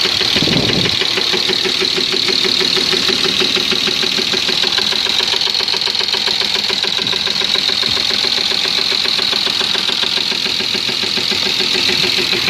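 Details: BMW M50 engine: catches and settles into idle with a fast, uneven tapping knock on top; source of the knock unknown.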